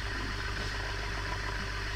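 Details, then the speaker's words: Ceiling fan after repair without replacing bearings: quiet, steady low hum with no rubbing, grinding or clicking; the earlier loud noise is completely gone and the fan runs smoothly. "आप पहले तो आवाज काफी आ रहा था आवाज बिल्कुल ही नहीं आ रहा है इसमें देख लो है यह कंप्लीट हो गया आपका यह पंखा"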